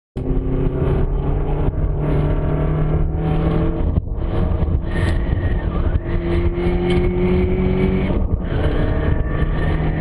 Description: I went lapping and sometimes the car whine in gear.